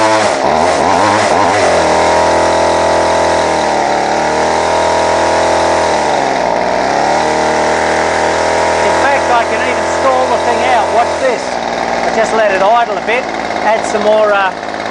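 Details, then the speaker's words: Line trimmer (small two-stroke) idles unevenly, buzz sagging and surging then dying; stalls and is hard to restart. Owner suspects a split crankcase gasket sucking in air (lean stumble); rough idle and stalling. "and running it idles like a pig in fact it loves to cut out and then it's really hard to start afterwards"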